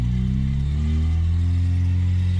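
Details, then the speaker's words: 3rd-gen Honda Prelude at idle with the battery light flickering: a harsh rattle that eases as revs rise, from a worn crank pulley and failing alternator, both later replaced. "battery lights up it went off now it's back on as you can hear him making that horrible racket but if I rev it"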